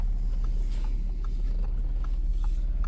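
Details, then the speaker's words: 2013 Audi A6 that sat non-running, idling after the transmission module wiring was repaired: smooth, even low hum with no knocks, ticks or whine. Runs perfectly, with probably only an oil and filter change still due. "And it's doing perfect. Let's hear. >> You hear this? >> There's nothing to hear."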